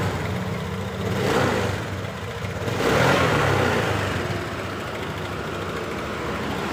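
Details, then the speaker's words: Honda Beat LED Deluxe that was stalling with DTC code 7, restarted after clearing the code: the engine picks up cleanly through two short blips and settles to a steady idle without sputtering. Now normal; a loose EOT sensor socket is suspected. "Oke, sudah normal."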